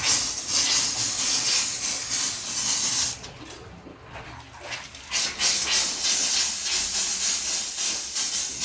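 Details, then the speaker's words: Newly installed Rheem natural gas water heater with automatic exhaust: the hot tap is opened to let trapped air out, giving a sputtering, uneven hiss that dips briefly then resumes; normal line bleeding after install, no leaks. "let all the air pressure come out, huh?"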